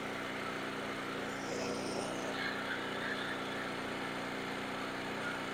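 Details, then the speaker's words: Portable generator after carburetor replacement, warming up on old gas: popping settles as choke is eased off, then steady even hum with no surging once choke fully off; healthy warm idle. "And you'll hear it start to smooth out and then take it all the way off the choke."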